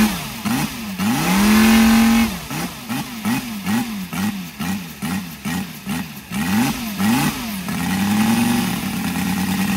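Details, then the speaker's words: Brand-new Saito FG-73 five-cylinder radial, fully upgraded with Morris Mini Motors hardware and exhaust ring, on a Biela 20x10 four-blade prop (600–5500 rpm), revved repeatedly from idle to high speed, firing smooth and even with no misses; normal, healthy running. "okay as you can see uh engine starts lovely and very easily as well um exhausts really finish it off make it sounds uh pretty healthy"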